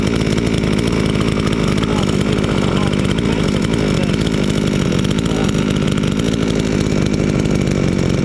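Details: Chinese chainsaw sold as a fake Stihl, freshly assembled and started first time; steady high two-stroke buzz at constant speed with no misses or surging; owner glad it runs fine, normal running.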